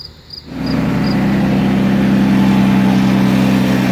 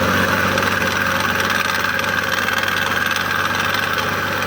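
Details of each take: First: 2006 Toyota Avalon 3.5L V6, restarted after reassembly to check the serpentine belt system rattle (it had overheated; water pump was first suspected). Engine catches and settles into a smooth, steady idle with an even hum and no belt rattle or chirp: normal idle. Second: 2006 Toyota Avalon 3.5L idling with a busy metallic rattle and thin bearing-like hiss in the serpentine belt system. Noise pinpointed to the water pump, which was then replaced.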